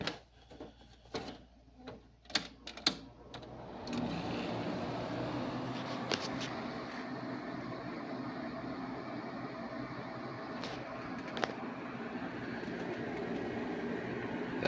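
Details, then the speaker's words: 8000 BTU window air conditioner with a Sanyo compressor, started after a previous day's run: a few handling clicks, then a steady, even hum with no knocks or rattles; the compressor runs smoothly. "Sano compressor is very smooth."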